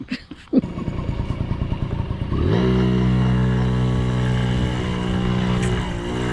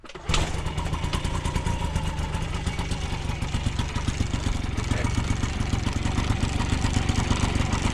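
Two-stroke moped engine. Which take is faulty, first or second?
second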